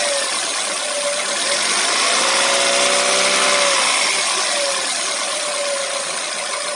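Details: Hyundai Solaris engine revved slightly: a steady knock about four per second rides over the engine during monotonous running; knock from inside the engine, cause unclear.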